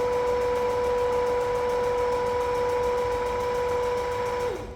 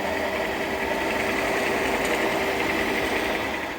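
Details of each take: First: Large lathe apron test run after replacing broken gear selector fork that stopped reverse carriage feed, refilled with oil: even steady whirr, lever clunks, smooth re-engaged run; feed gearing runs cleanly. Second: Large workshop lathe, headstock extremely noisy since purchase, signs of a crash, some bearings already replaced: steady hum with a persistent higher whirring tone and uneven rattle.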